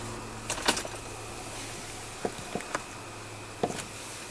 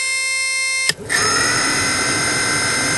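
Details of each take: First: 2010 Ford Transit van heater/AC blower motor after reinstalling and tightening, all fan speeds tested: a few light clicks, then a smooth even whoosh with steady tone, no buzz or rattle; blower healthy and quiet. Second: 2010 Ford Transit van blower motor on highest setting, powered directly with power probe: steady high-pitched electrical buzz, click and rough hum without spinning properly; internal fault, water dripping nearby, water inside suspected.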